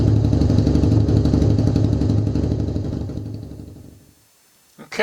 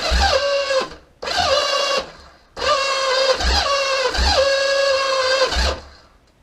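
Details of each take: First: Kawasaki KZ750B after a refurbished starter clutch and starter motor: fires cleanly at about four even beats a second, holds steady, then shuts off. Normal starting and running. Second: Kawasaki KZ750B engine on the stand, electric start attempt: several bursts of free-spinning starter whine rising in pitch with no compression thumps; the starter clutch slips and won't grab the crankshaft, needing refurbishment.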